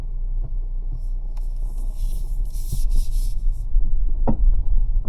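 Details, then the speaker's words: 2025 Mazda CX-30, about 12,000 km, irregular dull thumps from underneath while turning left or right at low speed onto a ramp, heard from the side opposite the turn; mechanic found nothing wrong. "Last but not least, there is this strange thumping sound coming from underneath when I turn left or right and onto a ramp."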